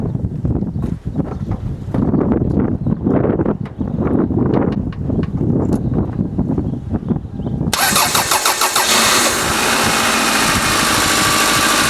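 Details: Test start of a 1999 Toyota Camry using a portable Type S jump starter: several seconds of cranking clatter, then the engine catches and settles into a steady run; normal clean start with no stumble.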